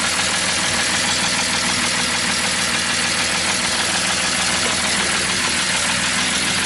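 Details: BMW E46 with M54 engine at idle, run after doing donuts: harsh, loud, uneven metallic clatter like the loudest lifter; adding excess oil didn't help. Oil pump nut fell off, so the pump lost drive and oil pressure, starving the valvetrain.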